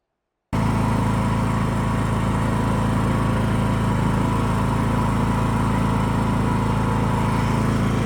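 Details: John Deere E100 riding mower after the fix: single-cylinder engine settles into a steady, even putter at constant speed with no misses or surging; runs smoothly.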